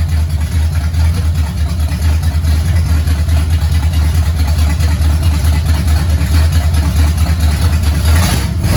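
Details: 1969 Pontiac GTO barn find, 400ci V8 with TH400 automatic needing rebuild: deep, even V8 rumble swells cleanly with throttle and settles back without misses or knocks; engine sounds healthy.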